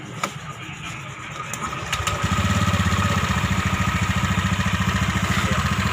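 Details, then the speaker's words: Automatic injection scooter at 8,000 km, CVT drive components removed: engine starts into an uneven, coarse idle with a rattly pulse; noise persists so fault is in the engine, not CVT; centrifugal clutch suspected, not confirmed. "masih adanya timbul suara ya berarti permasalahannya ini bukan di bagian vc Itu masalahnya di bagian mesin"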